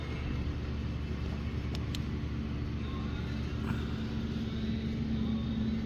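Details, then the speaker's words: Ford F-150 V8 with cylinder 3 misfire code: uneven lumpy idle with an irregular stumble in the exhaust beat; the cylinder 3 ignition coil is found arcing. "Got this Ford F-150 here with a cylinder three misfire."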